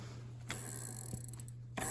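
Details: Diamondback step-through bike after rear lock ring tightened and smaller spoke protector fitted; quiet light pawl ticking as wheel freewheels, no scraping or rubbing, no binding.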